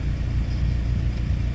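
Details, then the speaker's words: Suzuki APV at full operating temperature with the air conditioning on, windows down and camera by the window: low, even rumble with no belt squeal or chirp. "Wala wala na tayong naririnig na ingay doon sa ating sasakyan. Pag nandoon sa ganung temperature yung sasakyan natin hindi magingayung."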